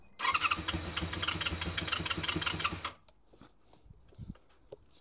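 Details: Honda VFR400 NC24 motorbike on a booster pack after its blocked carburetors were stripped, cleaned and rebuilt: the engine catches quickly and runs with quick, fairly even firing pulses for about three seconds before dropping away; healthy start.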